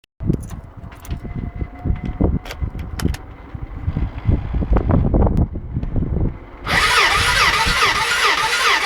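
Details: Gilera DNA 125 cranks in uneven bursts but never fires, after new top and bottom gaskets, a new spark plug, fully charged battery and good thumb-test compression; cause unknown.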